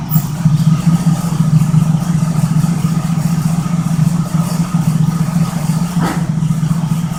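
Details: 1972 Oldsmobile 98 (1973 front clip), 455 big-block V8, cold start: steady idle with a fast, uneven buzzing rattle that sounds like knocking but is just a loose part vibrating, not an internal knock; engine runs well.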